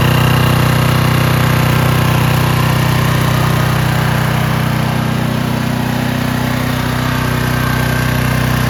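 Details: Curbside-find Craftsman/Troy-Bilt pressure washer, fixed by carburetor cleaning and tested with a Ryobi gun: a loud, steady, even engine drone with constant pump hiss and no surging or hunting. Normal running under spray load.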